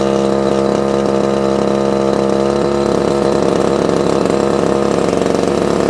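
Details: Probably early-1980s Komatsu Zenoah Pro 26 two-stroke strimmer, off choke after hard start; high buzz wavers and stumbles, lean unstable running; needs carb work, diaphragm suspected worn, no tuning screws visible.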